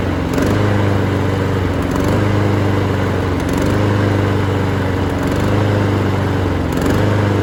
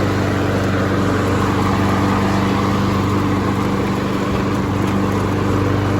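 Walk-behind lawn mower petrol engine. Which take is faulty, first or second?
first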